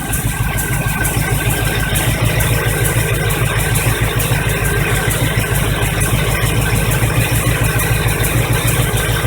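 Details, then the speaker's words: 1985 Chevy truck V8 after fuel pump replacement, carburetor bowls refilled: steady, even idle with a firm low rumble and slight rev lift; runs smoothly, normal idle. "but it's running again no starter sounds like it needs this gym"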